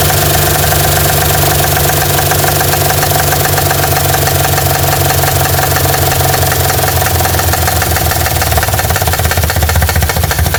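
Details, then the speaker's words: 1960 Chevy C10 with a 235 engine, revived after 40 years and running on gas with oil pressure unknown. A steady idle with busy, rapid, slightly uneven ticking is heard. Valve train ticking, suspected from an exhaust valve hanging up; the valves are to be backed off. "Alright, sounds like we got an exhaust valve hanging up. I'm going to back them off just a touch."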